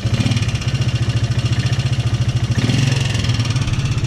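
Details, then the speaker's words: Polaris Sportsman 300 ATV single-cylinder idle after timing chain work: light, fast tapping on each beat from the top end, goes away at times; owner suspects valve tap, first thought timing chain; top-end ticking. "it sounds like top-end to me but it goes away"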